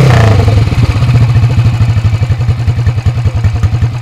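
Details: Workshop-restored 1970s Alan Clews CCM big-single racer dirt bike, oil carried in the frame: loud, crisp thumps at about twelve a second, holding even and steady after a blip. The big single runs healthy.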